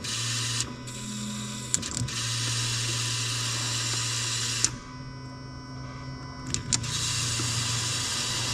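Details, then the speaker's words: Car with Beachworks X2 hanger and two DW300 fuel pumps; about 48 psi with both, 37 and 42 psi with each fuse pulled; low pump hum changing as each pump is cut, one weaker: one DW300 pump failing. "like my suspicion is right. One of the DW300 pumps is going out."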